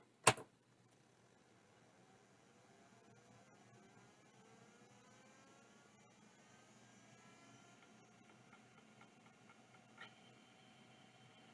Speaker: uh that sounds happy to me